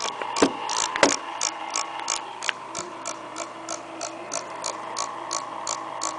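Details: Acer laptop, small cooling fan, noise returns after reassembly: light, fairly regular ticking one to two per second over a faint steady hum as the fan spins.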